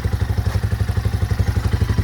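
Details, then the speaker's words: RPS Magician 250 Chinese CG-style single with over 10,000 miles, on a broken frame: even thump about nine beats a second, steady and regular with no clatter and no smoke; still runs good. "Blinkers, but it still runs good. Let's fire it up, Chris. Look at that."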